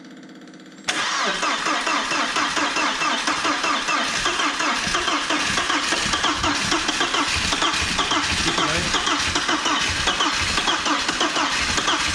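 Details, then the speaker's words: Audi A4 1.8T barn find with possibly mouse-chewed wiring, on a leaking home-brew fuel supply: silence, then it fires on starting spray and runs unevenly; fuel pump not working, so fuel isn't getting through. "it's a shame the fuel pump wasn't working so what I'm going to do today is I'm going to get the fuel pump out"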